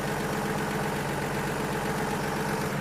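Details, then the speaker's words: 1950 Chevy 3600 truck old six at steady, even low idle with no choke, warming up after new radiator hoses and coolant, thermostat not yet open; smooth beat, no misses or knocks; normal idle. "God, it just runs so good. That's no choke, no nothing."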